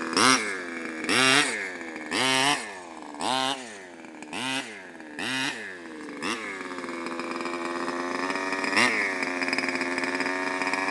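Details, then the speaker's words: CY 23cc two-stroke in an R/C buggy with Xcan, high-speed needle deliberately turned out half a turn: short revs about once a second, then a steady, slightly blubbery run. Over-rich high-speed mixture. "I'm going to take the high speed, crank it out half a turn, which is excessive. It'll start, but it won't run very well."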